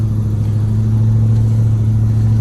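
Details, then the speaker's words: 1996 Ford F150 driving around the block with replaced exhaust (old one was very loud, nearly absent): deep, steady low drone, even, no rasp, blowing or ticking; exhaust sounds sealed and healthy now. "i put this on here so that i could drive it like a normal person but now it sounds good"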